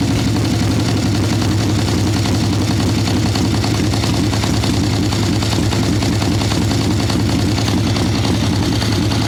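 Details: Harley Ironhead Sportster chopper with Mikuni VM38 carb, cold day, idle circuit tuning after warm-up on choke: lumpy, uneven, sluggish stumbling idle, boggy; rich mixture, owner unsure it is only the carb.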